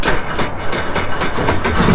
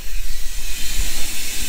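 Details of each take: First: 2009 Sea-Doo Speedster 150 after intercooler, oil and filter replacement, starting for boil-out procedure: starter cranks under two seconds, engine catches and settles into steady even idle with no knocks or misses; healthy, no faults. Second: 2009 Sea-Doo Speedster 150 with speed loss and hesitation, cooling system pressurised to about 10–15 psi: a loud, steady rush of air escapes the rear flush port through a freeze-cracked intercooler water passage. The intercooler was replaced.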